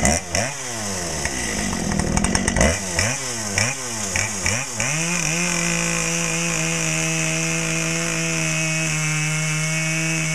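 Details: Brand-new Dolmar PS-7910 chainsaw, full wrap, 28" Sugihara bar, LGX chain, factory carb settings, a little warm: sharp throttle blips rising and falling, then a steady high scream at even pitch while pulling through the cut.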